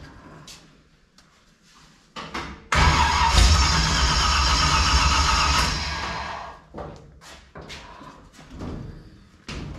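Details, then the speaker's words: 1955 Chevy small block V8, previously run but sitting roughly 10-12 years, first start attempt: cranking, then catches and roars about three seconds on lawnmower gas poured down the carburetor throat before dying back to cranking; has spark, lacks fuel supply (suspected). "All right, so right away you heard that vroom, right? So I think she's sparking."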